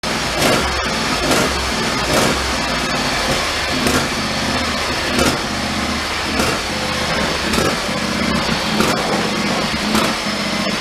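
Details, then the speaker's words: John Deere riding mower, runs about 10 minutes then shuts off: engine surging, hunting up and down and worsening as it runs until it stalls; not fuel-starved (gas cap cracked), owner guesses dirty idle circuit. "yeah so that's what it's doing and the more it runs the worst it gets and it go to the point where it actually stalls out"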